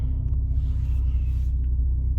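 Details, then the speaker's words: 2018 Ford Focus ST idling 468 miles after replacing the Mountune rear motor mount with a CP-E Stage 2 mount: a steady, low, even rumble with no shaking, knocks or rattles; normal idle. "it's not bad it's not shaking keys child seat in the backs not shaking all is well"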